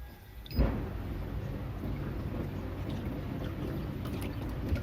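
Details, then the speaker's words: Two-tub washing machine modified to automatic, 15-minute automatic wash starting after fill, motor turning back and forth: low soft even motor hum after one thump; normal wash agitation. "nah ini sudah berhenti dan mulai proses cuci 15 menit otomatis langsung terputar ya mesinputar bolakbalik kanan"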